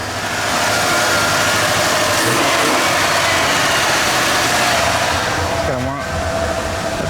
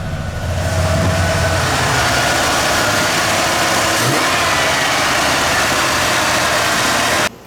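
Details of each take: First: Junkyard Bullnose Ford V8 after EFI-to-carb swap, low-pressure temporary fuel pump: fast steady idle with busy hiss; choke on and carb not yet tuned, so it idles high. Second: Junkyard Ford bullnose truck V8 just converted from EFI to carburetor, temporary low-pressure fuel pump, not yet tuned so idle runs a little high; steady, even idle with no misses or knocks once choke is off; normal idle.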